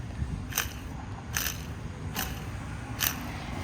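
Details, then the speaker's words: 2008 Dodge Ram 3500 6.7 Cummins diesel with G56 6-speed manual, transmission removed: four short gritty rasps as the worn clutch release bearing is spun; pilot bearing found seized, clutch being replaced. "It was making a loud noise, but I started working on it, and I removed the transmission to replace the clutch."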